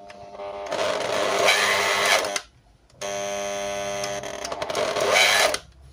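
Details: Dirty, greasy Bolde Super Mix Turbo hand mixer on 220 V runs in two bursts with a harsh, gritty whine; technician suspects a damaged coil before disassembly; finding is burnt armature, worn brushes and gearbox.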